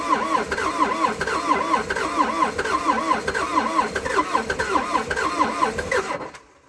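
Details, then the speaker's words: Old abandoned CAT excavator diesel, not run in months, cranking on a cold day with two new batteries and cleaned connections after earlier failed attempts: slow, labouring starter whirr rising and falling with each compression for about six seconds, never catching. Hard start. "i've been down here a few times now trying to fire this thing up and it just didn't want to play bottle"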